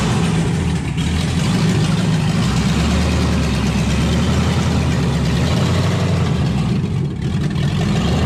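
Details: LS-swapped 1971 Impala that died after a light rev and since then ran on only three to five cylinders. Deep, lumpy V8 rumble that loads and sags unevenly, clearly missing. Misfire traced to a dirty engine computer connector.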